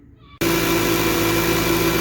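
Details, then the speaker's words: Mercedes ML500 after replacing a belt shredded by a bad tensioner: engine starts at once and idles evenly, belt running true with no squeal or chirp; some air compressor noise, power steering possibly low. "we go started right up Belt seems to be running pretty true I can hear air compressors making some noise"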